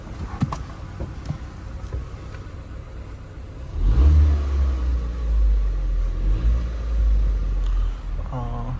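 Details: Rebuilt wrecked Ford Fiesta hatchback (2011-2019), 86,000 miles, after its first start: quiet at first, then the engine revs cleanly with a smooth, even rise and fall and no knocks or misses.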